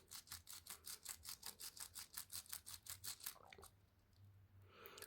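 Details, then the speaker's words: 3D-printed Tiny Toroidal Twist Fan gear stage, gears freed after fusing and worked back and forth on the carrier's M1x8mm dowel pins: rhythmic scratchy rasps, nearly three a second, as the high spots on the plastic gear teeth are ground off during break-in. "And then the key is angle one side slightly and then just grind a little bit. And you can hear it's taking off the high spots."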